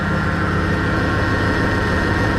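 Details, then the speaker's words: 2003 Dodge Ram 1500 Hemi V8 at idle: steady high whine from under the hood, owner suspects a loose or played-out bearing, traced to a worn idler pulley bearing; noise present for two to three weeks. "i got a noise sounds like a loose bearing or maybe a bearing being played out"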